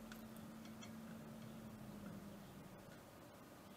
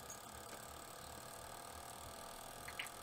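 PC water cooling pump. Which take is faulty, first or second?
second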